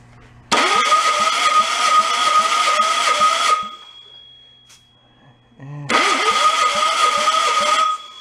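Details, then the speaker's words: 1958 VW Beetle engine, sat 30+ years in a swamp, cranked with compression tester: uneven three-beat-a-second cranking, stalling on some strokes; number two cylinder read zero, tester distrusted; low compression suspected, not confirmed. "but when i'm listening to it it's you hear the stall in the engine when it goes to thump its way over"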